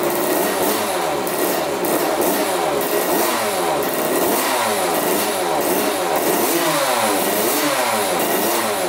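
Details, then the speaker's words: 1985 Yamaha YZ80 two-stroke, first start after rebuild on 41 premix: crisp ringing revs rise and fall repeatedly, pulling cleanly with no knock or rattle. Runs really good; owner unsure the coolant impeller works, then the pump looks to be working. "all right runs pretty good runs really good"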